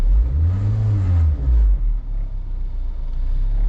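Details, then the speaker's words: Vehicle idling and revved in park and reverse: deep boom swelling with rpm, heavy low rumble at idle, felt through the seat, much less in drive; worn motor or transmission mounts suspected, to be checked with jack and 2x4. "Not so much there in drive, but definitely in reverse and in park. I mean, you can really hear it."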